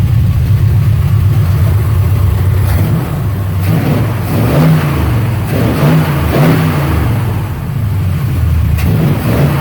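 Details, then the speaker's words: 1972 Chevelle Malibu V8 revived after sitting for years, new water pump, alternator, battery and starter, warming up on a cold day: deep, even rumble with steady beat and light rev blip, no knocks or misses; carburetor still needs adjustment. "it's running really good sounds really good just wait for him to get up to temps"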